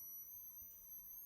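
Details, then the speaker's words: Supercapacitor cell-balancing inverter (oscillator, transformer, bridge rectifier) drawing energy from one supercapacitor into the three-cell pack: thin steady 3 kHz high whistle holding one pitch in a quiet room; oscillator running normally. "can you hear the 3 kilohertz I can hear it quite loudly"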